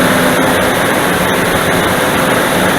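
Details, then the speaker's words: Dodge Dakota V8 cold start, engine fully cooled (about 15°C indoors, -1°C outside), original viscous fan clutch before electric-fan swap: loud steady rushing roar drowns the engine; fan clutch nearly locked, pulling air hard. "방금 들으셨던 소리가 지금 냉간시에 시동을 걸었을 때 횡클러치 소음이에요. 순수하게 횡클러치 소음밖에 안 들립니다."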